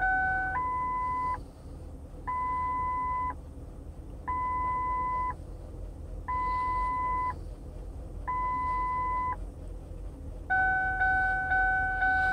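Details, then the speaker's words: 2000 Lincoln LS at warm idle: steady two-tone chime repeating about every second; owner suspects warnings from a non-working gas gauge, yellow fuel light and open doors. Idle has a slight lope; TPS reads 16.9% at idle. "A lot of beeping. I think that's because of the gas gauge not working and the yellow fuel light being on and the doors open."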